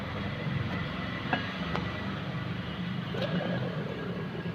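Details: Maruti Suzuki Alto 800 while driving: steady low rumbling drone under road noise, no knocks, from a worn front wheel bearing, fixed by replacing the bearing.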